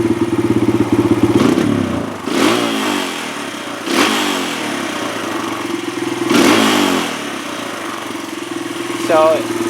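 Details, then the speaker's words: Kawasaki KLX140 four-stroke single, warming up at idle with clutch pulled: ragged, uneven sputtering bursts on each throttle blip and a hanging idle that worsens as it warms; sounds rich, though the hanging idle suggests lean or an air leak. "it kind of sounds Rich that sputter sounds rich but also that hanging idle usually means lean or an air leak"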